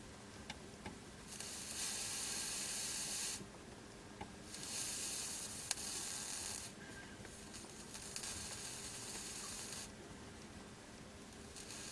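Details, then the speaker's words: Amiga 600 board during capacitor replacement, soldering iron dabbed on fluxed IC pins: hissing sizzle in one-to-two-second bursts, suspected leaked capacitor electrolyte boiling under the chip. "Can you hear that sizzle? Now I was watching one of Gadget's boards videos when he was working on an Amiga 4000 board recently that had quite bad capacitor damage and battery damage, and he was getting a hiss like that when he had electrolyte and things underneath ICs."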